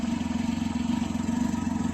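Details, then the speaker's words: 2021 Can-Am Ryker 900 ACE, two months owned, at idle: steady mid-pitch pulsing with a faint clatter. Owner attributes the rattle to the many plastic panels shaking. "See, I hear that little rattle. That's the one thing about this bike that I will say, a lot of plastic. It looks awesome with the plastic still, I think. It looks really cool. But of course with plastic you get rattles, you get little things here shaking, you know, over time."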